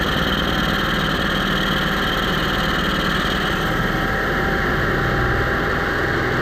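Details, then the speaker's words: Onan 5500 motorhome generator that idled rough, died and backfired, running after carburetor cleaning and fuel filter refit: steady, even drone at constant speed with no surging, sputter or misfire; running smoothly. "Okay, so that actually started up pretty fast. It sounded actually really good."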